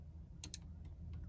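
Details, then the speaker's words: 2010 Mercedes E-Class W207 all-keys-lost password calculation with Autel IM608 Pro2 and IR simulator key in ignition: crisp paired clicks over low hum as the G-Box relay cycles normally during the 10–50 minute process. "all right getting password is in progress takes about 10 to 50 minutes you'll hear the G-Box relay clicking"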